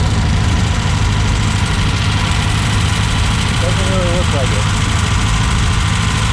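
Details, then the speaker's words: 1964 Triumph TR4 on its first shakedown drive on a hot day (about 95°F) after a DIY rebuild of a TR3 three-synchro gearbox and overdrive; even, steady low note with no knocks, whine or grinding, shifting cleanly. Transmission sounds healthy, though the overdrive solenoid isn't engaging. "right so so far the transmission seems really solid shifts in and out of gear no funny noises or anything like that"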